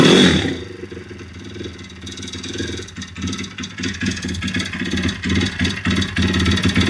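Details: YX-1 160 four-stroke single: sharp metallic knocks about three per second, growing louder as it revs. Fully rebuilt with valves adjusted; small piston-pin play, no conrod or cam play, but the cam came out easily with its bearings; slight ringless piston play. Source unclear.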